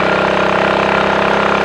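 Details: Triumph Tiger Cub on a frosty morning, 12-mile ride under load after fitting a new carburettor slide, needle, needle jet and main jet to lean a rich mixture: steady, even single-cylinder beat with no misfiring, though the plug stayed fairly black.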